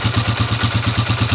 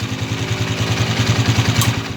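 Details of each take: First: Honda TMX 155 single-cylinder motorcycle idling right after valve clearance adjustment (0.05 mm feeler gauge), previously irregular rocker arm tapping: now even, steady beat with light regular valve tapping — normal healthy idle. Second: Honda TMX 155 single-cylinder motorcycle idling after a recent valve adjustment: light, uneven top-end ticking, sometimes noisy, sometimes not, from a worn rocker arm with excess play.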